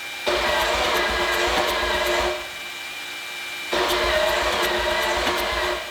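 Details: Wankel 12-rotor engine cranking: two roughly two-second bursts, steady starter whine and busy clatter but no firing, because injectors were not plugged in; fuel leaking afterward.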